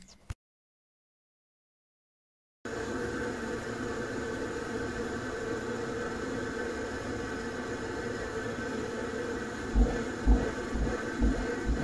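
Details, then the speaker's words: Glowworm Ultracom / British Gas 330 boiler with F1 fault code lighting with a harsh roar, uneven rumbling and thumps; the gas valve needs adjusting, possibly missed on previous services. "so what that tells me is the gas valve needs to be adjusted so it might not have been done on the previous service or services"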